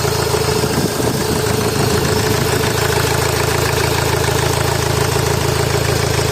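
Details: Honda Accord VII 2.2 i-CTDi diesel idling rough after turbo failure, heavy uneven chug never smoothing; smoke from pipe toward manifold and blue smoke at rear; fourth injector connector unplugged during testing.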